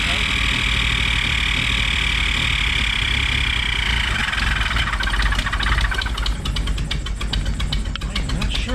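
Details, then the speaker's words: 1967 Triumph GT6 started without choke: shrill steady scream over the rough idle right after start-up, changing with throttle position; owner believes it comes from the carbs, likely the front one, possibly sucking air, cause unconfirmed. "what that noise is. I don't know what that noise is. I don't know. That's odd. It sounds like it almost sounds like it's sucking air from somewhere."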